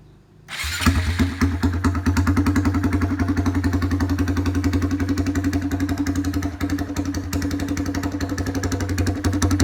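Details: Honda MSX125 motocross build restarting with the exhaust tip removed: engine catches after a second and settles into a fast, blatty, loud, raw open-sounding idle.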